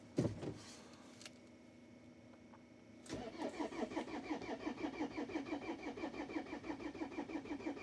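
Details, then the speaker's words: Pizza van diesel in hard frost, cold start with thick oil, glow plugs cycled; earlier diagnostics showed a glow plug error: slow even cranking about three pulses a second, never fires; no-start, glow plugs suspected failed. "Kunagi, kui ma diagnostikat tegin, siis oli kirjas, et mingi, mis on see glow plug error, aga vaatame."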